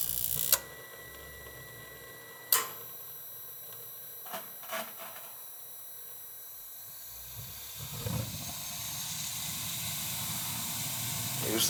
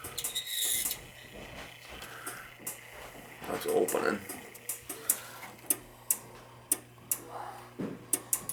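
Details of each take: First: Dunkirk high-efficiency gas boiler after replacing the bad control, thermostat terminals jumped, low limit off, high limit 180: a few clicks, then burner lights with a soft rush and holds, no repeated clicking; normal ignition. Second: Dunkirk high-efficiency floor-standing gas boiler: control relay clicks sharply back and forth every half second over a low hum with nothing firing, even with thermostat disconnected; water found, control board probably bad and needing replacement.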